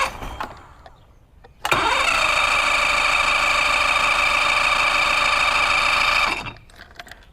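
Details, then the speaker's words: Mercury Classic 50hp outboard after stator and trigger refit and power pack replacement, plugs in: steady even high cranking drone for about four and a half seconds, no catch. Hard starting; owner suspects carburetor needs work and tries spraying starting fluid. "she's probably a carb job covered up see what happens if I spray some stuff in there"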